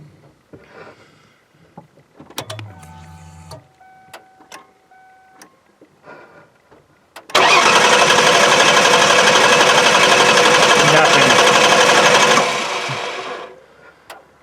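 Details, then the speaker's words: 1995 Ford Taurus SHO, 5-speed manual: steady starter cranking that never catches. Fuel pressure reaches only 20–30 on key-on, then bleeds off. Cranks but no start; a bad fuel pump is suspected, and the electricals may be okay. "Immediately falls back down. So we basically have no fuel pressure. So it looks like we've got a bad pump, which actually that's an encouraging thing, because that means that the electrodigicals may be okay."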